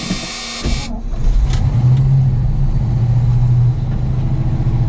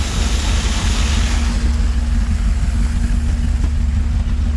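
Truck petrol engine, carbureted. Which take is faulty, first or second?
first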